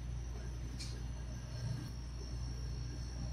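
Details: Home-made recovery machine recovering 1234YF refrigerant from a 2018 Mustang AC into an empty tank. Steady low, even compressor hum with no knocking or surging; pressure is going down slowly. Normal operation.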